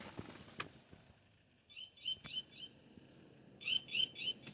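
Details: 2006 Hummer H3, unknown switch added inside cab: when switched on, sharp high-pitched chirps in quick groups of three or four repeating every couple of seconds; owner unsure of purpose, guesses an animal warning for the highway.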